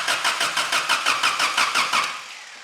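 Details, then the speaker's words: 1985 Daihatsu Rocky 2.0L petrol after long sitting, brake cleaner sprayed in: strong, even, healthy cranking five or six beats a second that never catches; spark seemingly absent, plugs heavily carboned; previous owner said spark was the issue. "let's crank it okay that's fantastic news that's a really healthy crank"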